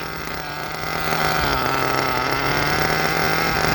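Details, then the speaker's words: Force Pro 21 nitro engine on stand during Todd Method break-in, heated then temperature being lowered: high-pitched steady, slightly burbling note that smooths as it picks up; still running rich with plenty of fuel. "Still got plenty of fuel. Still good and rich."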